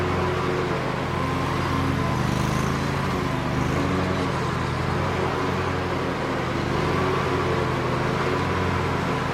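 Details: Bobcat Predator Pro zero-turn, Generac engine, after repair for power loss in tall grass, blades sharpened and balanced, cutting: steady drone holding pitch, no sag or stumble, pulls load cleanly; believed fixed.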